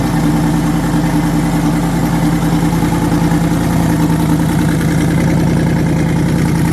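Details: Twin-turbo V8 truck, first start after the twin-turbo conversion with fuel line retightened and no boost controller yet: deep, even idle lope with steady exhaust pulse and no missing beat; all eight cylinders firing evenly, normal idle.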